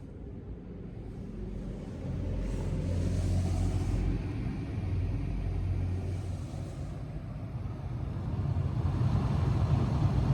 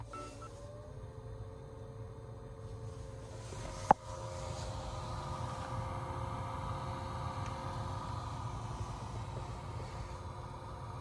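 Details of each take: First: Honda Freed Spike Hybrid cabin A/C blower after replacing the faulty blower fan, which had made a buzzing noise: smooth, low airy rumble swelling and easing, with no whine, rattle or scraping. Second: Honda Freed Spike Hybrid in for inspection; with the AC fan on, a click then a steady droning buzz from the failing blower fan motor, which was replaced with a new one.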